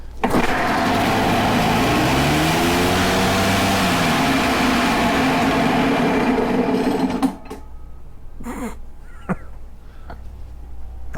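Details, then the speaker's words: Echo PB-500H blower not idling, at about 19 degrees, full throttle: high wavering buzz surging unevenly with harsh scraping, dying after seven seconds; scored cylinder with carbon-stuck piston rings, engine trashed. "sounded horrible horrible"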